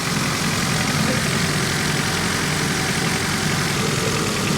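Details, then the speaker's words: 1991 Honda Civic after 10+ years sitting and head gasket replacement, cylinders lubricated with WD-40, cylinder-by-cylinder test at idle: lumpy uneven stumbling idle, cylinder 2 dead and missing badly; maybe not burning fuel there, cause unknown. "This is the deadest hole. That does nothing. Yeah. Still missing on number 2, though, like really badly."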